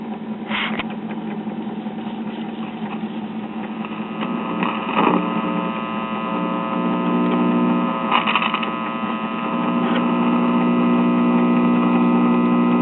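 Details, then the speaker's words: ShuraTone child's record player, probably early 1950s, with a single-stage valve amp (rectifier and output tube) fed by a 3-volt crystal cartridge; steady mains hum and handling clicks with no music because the crystal cartridge is dead. "Sounds like the amp is producing some action. The cartridge is producing no action. No surprise there."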